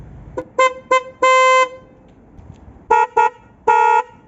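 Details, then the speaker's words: Nissan Qashqai J11, direct comparison of the original horn and the newly installed horn. Two sets of clean toots, two short and one long each, with steady clear pitch and no rasp; horns working properly. "let's see what it sounds like in comparison to the other one do a direct comparison now from the old one to the new one"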